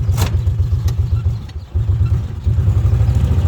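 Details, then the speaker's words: Kawasaki Mule test drive after oil seal replacement: low steady drone pulling away with brief sags before picking up; hesitation off idle. "Still a little hesitation there off the pilot."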